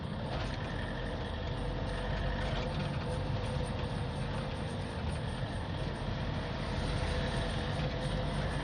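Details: Toyota D4D pickup diesel after a manual gearbox rebuild on an old vehicle. Steady drone with no gear whine, grinding or clunks under the engine note. The rebuilt gearbox sounds healthy and engages well.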